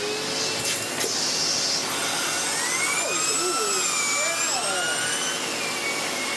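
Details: Sebo X4 Pets Eco (Automatic X4) upright vacuum, free and fully serviced and refurbished, running its turbo tool: a steady high airy whine as the brush spins up smoothly and evenly, no rubbing or rattle; normal running.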